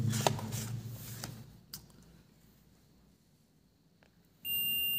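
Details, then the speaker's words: Multimeter continuity test on a mobile phone board reads zero and gives one steady unbroken beep in both forward and reverse probe directions, indicating a full dead short. "इसमें देखिए multimeter में zero zero है और beep की आवाज आ रही है ठीक है यह शर्ट है"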